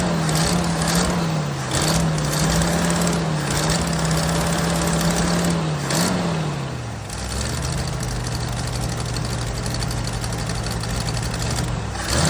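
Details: 1979 Jeep CJ5 after sitting since 2019, running on old tank fuel with carb/choke cleaner sprayed in: uneven, lumpy idle that sags to a lower, shakier speed; rough running, owner suspects carburetor and tank.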